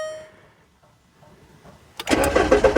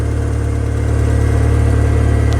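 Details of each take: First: 2002 VW Beetle with start/stall fault, instrument cluster just reinstalled after repair, security light flashing: engine cranks and catches for a second or two then dies, twice, as the immobilizer cuts fuel before codes are cleared. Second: 2002 VW Beetle with start/stall fault after instrument cluster repair restored communication and codes were cleared: starts and settles into a steady, even low idle with no stumbling or surging; possible exhaust leak noted.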